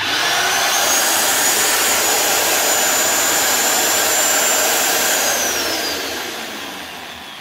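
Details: Rotabroach magnetic drill after repair with new needle bearings, motor spinning freely with a smooth, steady high whine then winding down at switch-off; before the repair it ran loud and rough with failed needle bearings.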